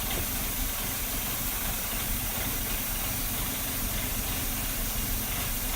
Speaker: Okay, now we've created an obvious problem with my car. I've given it a vacuum leak, so the idle is idling very rough.